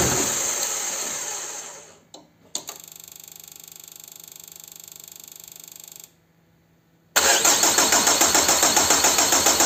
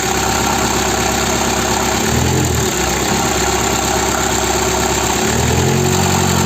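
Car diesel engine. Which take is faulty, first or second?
first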